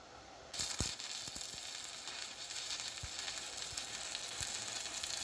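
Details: Pampa Hogar ARC 200 inverter stick welder, 160 A model, fill pass: steady crisp sizzle and crackle with an occasional pop, even and unbroken; healthy, stable stick welding arc.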